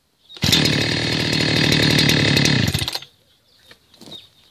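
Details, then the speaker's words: Heavily used 2006 Husqvarna 61 chainsaw, already hot so started without choke: fires on the first pull and runs a crisp, even buzz for a couple of seconds before shutting off; healthy warm start. "I didn't pull out the choke now because I've worked with it here I started it so it is it is hot but that's what you do in a cold start"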